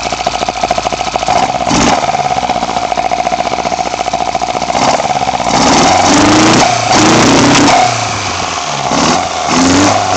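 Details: BMW 318i with M10 four-cylinder engine, first startup after fitting sidedraft individual throttle bodies (Carburetor Man / Dramatic Racing): sharp, throaty intake bark rising and falling cleanly with each throttle blip, no stumble or popping; normal free revving.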